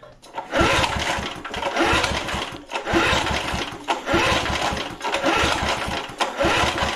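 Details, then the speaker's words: Vintage heirloom single-cylinder lawn mower after long storage, oil clean, throttle set to start: repeated pull-cord cranks spin freely with not a pop or sputter. No-start. "right so we got nothing not a pop spit sputter nothing"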